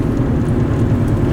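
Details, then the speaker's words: Vehicle driving at steady speed, growl louder when steering right; low droning growl under road noise, owner concludes a wheel bearing is going. "I don't know if you can hear that growling or not but as soon as I go to the right it gets"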